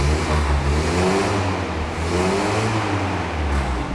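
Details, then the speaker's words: 1967 Land Rover Series 2A, hot-wired and started cold after sitting outdoors overnight: the engine rises and falls smoothly through a couple of throttle blips, even and clean; normal cold revving. "there she is I don't know for that stereo one it's probably awful but yeah she runs lovely a bit cold"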